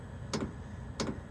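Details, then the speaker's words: All-in-one diesel air heater installed in step of 2012 Ford E250 van, at startup: soft crisp ticks about two-thirds of a second apart over quiet background; fuel pump tick, normal, not too bad. "here's she starting up now you hear that tick it's got a little tick going to it but it's not too bad"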